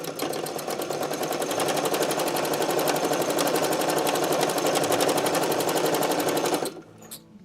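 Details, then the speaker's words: Sewing machine needing oiling and cleaning, running at about four stitches a second with a dry squeak behind the rhythmic clatter, before being taken apart and oiled. "so this is just a little sample to let you guys hear how squeaky the sewing machine is and that it's ready and needing to have a little bit of servicing"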